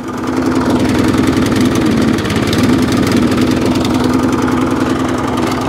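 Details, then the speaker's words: Qualcast mower with a Briggs and Stratton Classic engine, primed, chugging unevenly with a wavering beat; runs poorly, and the owner says it needs a carburetor clean. "Not very well. Carburetor clean. That's money there."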